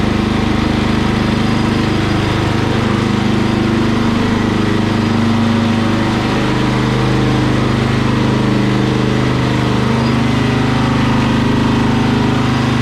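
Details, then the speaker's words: Murray small engine, first start on jumper cables to a battery after carburetor cleaning: a steady single-cylinder putter at constant speed with no stumbling or surging. Running smoothly. "listen to that baby fur that's [Music] minimum"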